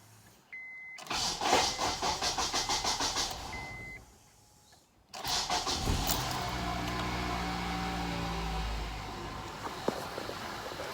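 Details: 2006 Honda Accord 2.4L before fuel pump replacement: starter cranks steadily about three seconds without catching, then a second try fires and settles to idle; long crank before start, owner suspects weak fuel pump.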